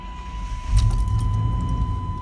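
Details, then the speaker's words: 1989 Chevy Silverado with what sounds like a strong V8 started from inside the cab. A door chime sounds, then the engine catches quickly with a deep rumble and settles into a steady, even idle. A healthy, strong start. "all right we're in the truck so we're gonna go ahead and start it up"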